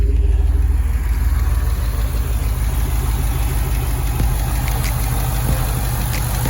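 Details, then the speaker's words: 2006 Chevrolet Impala SS V8 after valve cover gasket replacement: it starts straight up and settles into a deep, even idle rumble with no ticking, misses or surging. Healthy normal idle. "Yep, and she started straight up."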